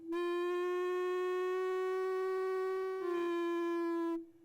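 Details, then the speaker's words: 1910 Stanley Steamer Model 60 at cold start-up: main burner lit, loud steady organ-like whistle wavering briefly near the end as fuel rushes into the vaporizer at high rate; normal, rarely heard once on the road. "that W loud Whistling noise that you just heard uh is uh the fuel going into the into the uh vaporizer at a high rate of speed and it's sort of like an a pipe organ and it's and it uh resonates and causes that whistle"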